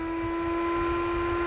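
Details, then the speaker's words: PWM-controlled 3D printer enclosure extractor fans ramped to maximum speed as temperature rises, with a 22-degree stop temperature; steady high-pitched hum and smooth whoosh of air, no rattle; normal fan operation at full speed. "and probably here that the fans have gone up to the maximum"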